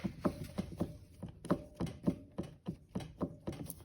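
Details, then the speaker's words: 2007 Mercedes ML320 CDI (W164), engine off, airbox removed: the steering shaft is rocked by hand, giving quick dull clunks about three a second from play in the steering shaft and firewall bearing. Both are to be replaced. "you especially feel the play inside here and you can also hear the noise from the bearing down"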